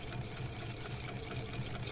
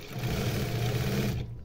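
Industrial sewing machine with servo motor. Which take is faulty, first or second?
first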